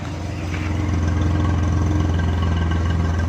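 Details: Suzuki Bolan/Ravi engine after spark plug refitted and wiring fixed for a shorting misfire problem: steady low idle with even pulse, no stumbles or skipped beats; normal idle on all cylinders.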